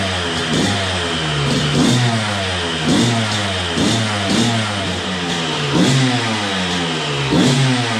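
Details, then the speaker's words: Suzuki RM125 two-stroke first run after full rebuild, new spark plug, smoky, possibly from assembly oil: crackles and blips up and down in short rev bursts, catching cleanly each time. Running normally. "but it does start i was worried for a little while there but it starts and it runs"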